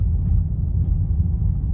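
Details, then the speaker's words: Car driven over bumps after suspension repair that fixed a metal-on-metal knock over potholes: low, even road rumble, no sharp knock or clunk; noise gone, suspension normal. "Aquí viene otro tope. Está vamos a cararle otra vez. Ahí está, ya no se escucha."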